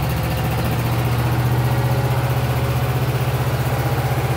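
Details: Yamaha 5 kW generator just after first start: steady low hum with an even throb about four times a second and no knocks; normal healthy running.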